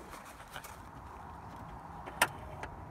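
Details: Kia Sorento Mk1 4x4 transfer case shift motor after recalibration, ignition on, switching from four-wheel drive back to two-wheel drive: faint steady electric whir with light clicks, apparently working normally.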